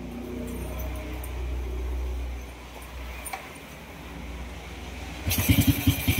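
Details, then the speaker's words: Honda Wave 125 after repair: it had a grinding-like noisy engine from a failed connecting rod and block (as transcribed), and the crankshaft was replaced. It now has a quiet, soft low hum at idle and a clean, even rev blip with no knocking or rattling. Normal idle and rev. "So tahimik naman siya. Ito yung tahimik siya ulang sa menor."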